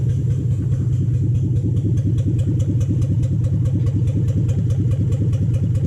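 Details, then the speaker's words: 2007 Toyota Hilux Vigo 4x4 with a swapped 3UZ Toyota V8 and manual gearbox, idling after a suspected lost coil on one side was fixed, right-hand side running properly: a deep, even burble with evenly spaced pulses and no stumble or miss. "totally set right hand side running properly now that sounds good sounds lovely"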